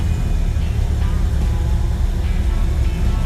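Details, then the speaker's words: 1956 Chevrolet Bel Air after carburetor rebuild, cold start: steady low rumble at an even idle, no misses or hunting, choke partly on until it warms; idling nicely and more responsive, normal cold idle. "And there she goes. She's idling nicely. We still have some choke in it."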